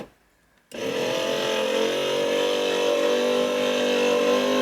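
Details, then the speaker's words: Porsche 928 door: power window motor just rebuilt, regreased and refitted, running a steady whirring whine with a buzzy edge; no quieter, if anything noisier, after regreasing; motor may need replacing later. "uh okay um clearly no quieter uh if anything that they're a little bit noisier but at least I know the motor's got nice new grease inside it so that's good"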